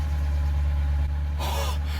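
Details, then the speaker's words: Mk3 Ford Fiesta after its cylinder head was refitted to fix a burnt inlet valve: a low, even idle hum that holds steady without misses, with a slightly squeaky auxiliary belt; normal smooth idle. "that sounds amazing. Oh my words. That is purring away. That is purring away."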